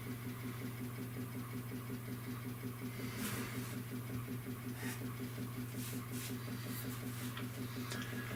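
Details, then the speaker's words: Maytag A407 washer converted to A606 two-speed motor, timer and switches, large load: faint steady low hum with soft regular pulse during 45-second pause before drain and spin; permanent press timer motor running normally. "you listen carefully, you can hear that timer just humming away."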